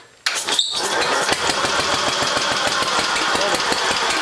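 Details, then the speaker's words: Newly rebuilt Briggs and Stratton single-cylinder engine on a restored Gilson tractor, first start after sitting, choked: fires up and settles into a fast, steady popping beat with no knocks or misses; running fine, needs slight adjustment. "now just turn it off it's running it needs a little adjusting but not bad we had the whole thing torn apart so it's good to see it's it's good to hear it running"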